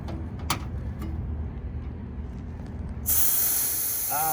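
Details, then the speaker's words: New walk-in cooler evaporator coil, before install, replacing an old unit in an R-22 to R404a conversion: sudden sharp steady hiss as the factory nitrogen holding charge escapes; coil held charge, sealed and good. "first thing i want to do is i want to make sure this thing's got a nitrogen charge in it for the factory so we know the coil is good"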